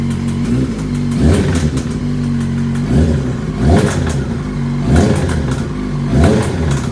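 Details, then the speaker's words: 2005 Yamaha YZF-R6 (YZF600) project bike, engine hot and cranking over slowly: blips show a loose metallic rattle low in the engine under the exhaust note; source still unknown. "I especially don't like the way it's cranking over slow now that it's hot yeah that's not good I there's a little rattle in the engine there it comes something right in there"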